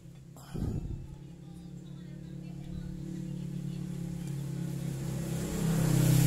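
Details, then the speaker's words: Yamaha Mio Sporty that would not start despite having spark, after adjusting too-tight intake and exhaust valve clearances; it catches after a brief crank and settles into a steady, even idle: normal start and idle. "nah I am long tuh motornya bisa hidup kembali ternyata kendalanya ada di setelan klep Yang rapat"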